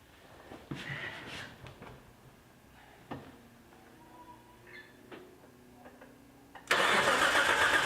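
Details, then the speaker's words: Nissan S14 on a new AEM Infinity ECU, timing set at 20 degrees advanced with R35 coil packs, first start attempt: loud steady cranking, no start because the ignition harness was left unplugged, old coil pack still connected. "[Laughter] fail 1 I forgot to hook the harness back up too excited there's my old coil pack still hooked up that's the problem"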